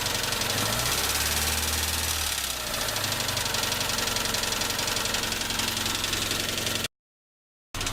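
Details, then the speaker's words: Tavria with a MeMZ-245 engine, rebuilt with new pistons, knocking at idle: sharp, light tapping about four per second that grows louder with cylinder 4 shut off and when the throttle is released; piston pin in cylinder 4 suspected. "Отключение 4-го цилиндра. Стук усилился. Выхлоп нормальный, тяга нормальная, двигатель работает ровно."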